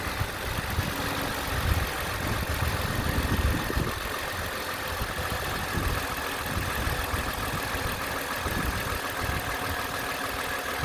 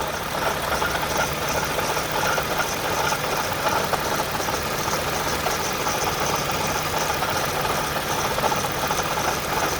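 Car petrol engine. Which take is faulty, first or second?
second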